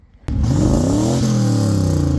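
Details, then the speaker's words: Third-gen Camaro Z28, stock LG4 305 small block with Edelbrock AVS2 carb and smog delete. The clogged, cracked catalytic converter was removed. Deep, booming, unmuffled truck-like revs. Loud exhaust after catalytic converter delete. "It now has a much louder exhaust. Maybe not in a good way. It kind of sounds like a truck."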